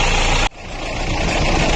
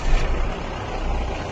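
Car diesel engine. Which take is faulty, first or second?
second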